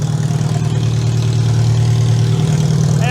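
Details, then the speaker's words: Demolition derby car's engine at its first start after teardown and install, with fuel pump on and computer powered: it catches and settles into a steady, even low rumble with no knocks or misses; oil pressure 50 psi; normal idle. "So we got the fuel pump on, we got the computer powered, and we're gonna touch it. I think that thing runs pretty damn good."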